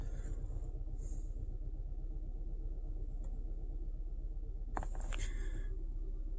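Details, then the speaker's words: 2016 Kia Sorento 2.4, code P0304, engine oil 106 degrees: rough, uneven idle with a lumpy pulse about twice a second from cylinder 4 misfiring, found to be an oil-fouled plug; engine consumes excessive oil. "let's start it up yeah it's Miss hard I can feel it number four it is"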